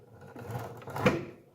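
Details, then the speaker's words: New Makita LS1216 sliding miter saw: dragging metallic scrape with a catch midway as the head is pushed through, slide rails binding and rubbing; owner suspects shipping damage to two slide poles. "You can hear it? It sounds bad. And it's something, it's really rubbing. It sounds like scraping metal."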